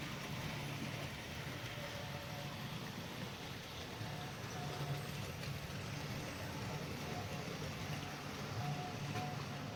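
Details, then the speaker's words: GEM kit-built OO gauge NER R1 / LNER D21 4-4-0 model locomotive running round the track: thin, buzzy electric whir with a rough rattly edge; quite noisy, typical of an open-frame motor. "Give you a little view of it running around the track. Okay. As you can hear, it's quite noisy."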